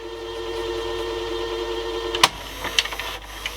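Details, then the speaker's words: National NV280 VCR after belt kit, back-tension band and capstan brake service, rewinding a 30-minute tape: smooth steady reel whir for two seconds, then a few mechanical clunks as it stops; normal tape rewind, just a slow machine. "this is only a short 30 minute tape but we can try to rewind fast forward it's not the quickest machine"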